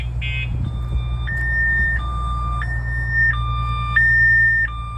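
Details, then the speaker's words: 2022 RAM TRX with aftermarket alarm and kill switches armed, triggered by hitting the truck: loud two-tone electronic siren alternating high and low about once a second over a low hum, lights flashing; alarm siren sounding as intended. "can hear that siren going off. They're not going to be able to cut the siren because they can't get to it."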